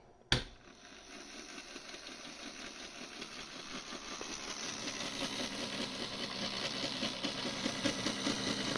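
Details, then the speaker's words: HO-scale monorail on elevated guideway: thin buzzing motor hum climbs in loudness as the car labours, straining before derailing; owner suspects it lacks power, cause unconfirmed. "again sounds like it's I'm straining but why"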